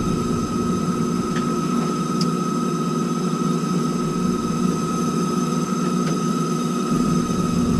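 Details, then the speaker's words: Heil gas furnace, no-heat call: steady high squeal over the furnace's even rumble, unchanging in pitch; noisy exhaust inducer fan motor. "I misquoted. It's the inducer fan for the exhaust. So, let's get the heat back on."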